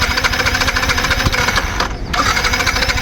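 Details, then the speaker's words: Yamaha MT-15 motorcycle long unused, during service of injector, starter motor, battery and spark plug; fast choppy starter cranking with no catch, light smoke from silencer; only the starter motor runs, engine won't fire; cranks but won't start. "Motor மட்டும்தான் ஓடுது engine start ஆக முடியல so இது கொஞ்சம் பரவாயில்லை"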